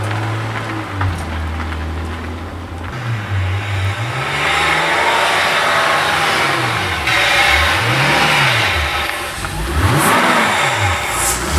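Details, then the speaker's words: Aston Martin DB7 V12, newly fitted engine on first drive: revs rise and fall unevenly with stumbles under throttle; multiple misfires, traced to failed number 2 fuel pump (blown fuse), with water found in the tank from storage. "यह नहीं रहता है, यह कई मिसफायर देना शुरू कर देता है नंबर 2 ईंधन पंप का फ्यूज क्रम से बाहर है यह इंगित करता है कि संबंधित ईंधन पंप विफल हो गया है,"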